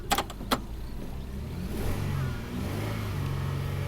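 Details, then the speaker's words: 2000 Toyota Sienna 1MZ V6, 540,446 miles, original drivetrain, P0305, flashing check engine light: low uneven idle with irregular stumble and loping beat, cylinder 5 misfire counter rising. "now it's a constant misfire you can see number five is counting up right away"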